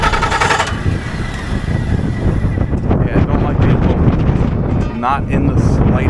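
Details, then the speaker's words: 300 kW standby generator, long fast uneven cranking chuffs that never catch; no start. Fuel, spark and compression checked, then it ran with cause unknown; ignition module reset helped later and it is suspected to need replacement. "I had to put the camera down for a minute because the uh the generator wouldn't start so I checked fuel I checked spark I did a compression check"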